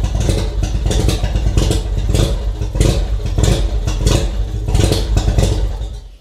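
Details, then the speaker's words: Mazda RX-7 FC3S rotary on Haltech Elite 1500 ECU, cold start without idle air control (BAC) valve: loud open-exhaust surging bursts about every half second, held running only with throttle; rough cold idle, needs idle air control valve. "as you can see, I need to give it quite a bit of throttle even to get it to start up and hold any sort of operating RPM. So we definitely are in need of an idle air control valve."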